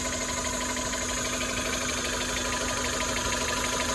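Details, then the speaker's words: Chevy (Geo) Metro at idle; steady whine over an even idle without pitch change; owner suspects the power steering pump, considering replacing or deleting it. "what is that noise is that my power steering pump"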